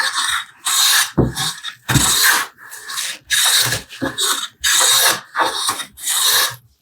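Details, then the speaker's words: Restored vintage Stanley No. 5 hand plane with the blade advanced just past the lash: even strokes, each a short, light, crisp swish without chatter or catching, taking thin shavings; correctly set. "That little sound and how light that sound is tells us these are real thin on our chips."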